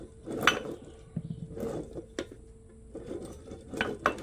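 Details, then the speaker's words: Yamaha GP800 jet ski engine during teardown, crank turned by hand: rough, irregular clicks and gritty ratcheting from shot crankshaft bearings, no smoothness, sounds run without oil; crankshaft must be replaced. "Those bearings are shot. Those bearings are shot on that crankshaft. There ain't no saving that. You put that together, it's going to blow up. There's no smoothness. It sounds like it was run without oil."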